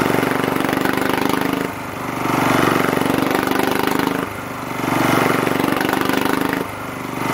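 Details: 1980s British Lister Petter AC1 single-cylinder diesel generator, 4 kVA at 3000 rpm, after first-turn start: even chugging, revs swell and dip about every 2.5 s during governor self-stabilization; nothing wrong.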